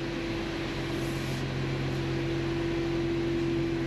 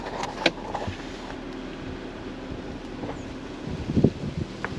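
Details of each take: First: 2017 Audi Q7, cold, rolling slowly on test drive after a brake squeal repair with special socket and brake quiet lubricant: thin steady high squeal over low rumble, growing near the end; brake squeal, worse when cold. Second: 2017 Audi Q7 with brakes notorious for squealing at low speed, especially cold. On a slow test drive after the squeal fix using a special socket and brake lubricant, it rolls to a stop with only road rumble and light thumps; the brakes stay quiet, with a single squeal heard at one point.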